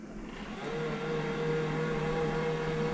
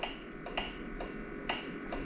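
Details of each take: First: Worn steampunk utility powerchair with deeply discharged 2014-era MK batteries under recovery: the seat lift actuator runs normally with a steady, even low motor hum, and current rises to 6 amps with the lights on, likely including control-system draw. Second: Worn steampunk powerchair whose MK batteries (about 2 volts) are being revived on a Victron charger: sharp dry relay clicks in pairs about every half second with no motor running as the chair keeps power cycling; the charger often then detects a short; cause unknown.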